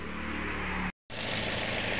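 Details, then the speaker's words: Toyota Yaris with complaints of rough engine noise, lack of power, overheating and coolant loss, at idle. A rough metallic clatter rides over a steady idle. Suspected loose timing chain or worn tensioner roller. "Nah untuk analisanya sih Sepertinya di bagian e rantai timing atau rantai ktingnya ya mungkin mengalami longgar atau bahkan rolnya yang sudah e mengalami kausan"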